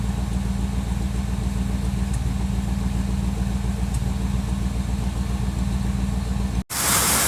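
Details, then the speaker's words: 1957 Chevrolet Bel Air at operating temperature, improved after Seafoam in the gas tank: a lumpy idle with an uneven low thump-thump about three times a second; idle misfire still present. "Alright, you can kind of hear the misfire here. Like I said, it's gotten better since I've ran the Seafoam in the gas tank, but it's still kind of there. It does a little thump thump thump thump."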